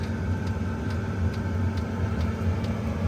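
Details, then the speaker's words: Chinese diesel heater newly installed in a four wheel camper, running on a low setting: an even low hum with a light, regular fuel-pump tick about twice a second. The fan is barely audible and blowing warm; ticking increases at higher settings. Running normally. "The fan is very low. You can barely hear it blowing, but it's blowing nice and warm."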